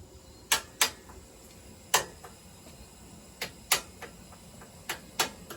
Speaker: so the banging you know as I said before the banging sounds that we're hearing right now is water violently exploding when steam which is created by this boiler uh hits it